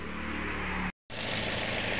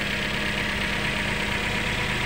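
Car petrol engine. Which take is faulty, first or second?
first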